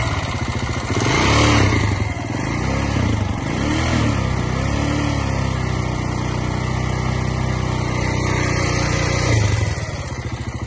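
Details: 2009 KTM 690 Enduro R single-cylinder at idle with a light, regular ticking from the left side of the engine. Rocker rollers seem OK, valve clearance is in spec, and a manual cam chain tensioner changed nothing; cause unknown.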